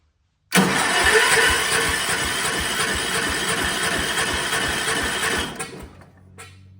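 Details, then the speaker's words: Vintage Kohler generator, likely out of a motorhome, big flathead single (guessed 400–500 cc), fuel line fed directly to carburetor, choke held; cranks steadily about three turns a second without firing. Carburetor suspected dirty or needle valve stuck closed. Cranks but won't start. "Well, it looks like the carburetor needs to be cleaned out because it definitely did not even try to crank over at all. It's possible the needle valve could be stuck in the closed position."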